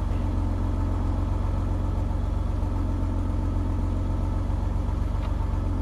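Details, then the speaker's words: Eagle Premier, cold start after sitting two months: a deep, even rumble at about three pulses a second with no knocking or ticking, burning off carbon and the ether sprayed in. The engine runs normally. "Sounds pretty good, doesn't it? Get all that carbon out of it, all that ether I sprayed in there, it's got to come out."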